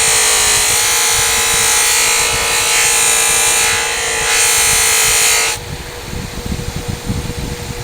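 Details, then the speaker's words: Buffing wheel on motor with 1/2-inch arbor, owner guesses about 1/3 hp: loud steady hum and whine sags then collapses abruptly as heavy pressure from a number 3 Dastra carving tool stalls the motor. "Now if I put a lot of pressure down, watch what will happen. It can stall this. This motor is a half horse."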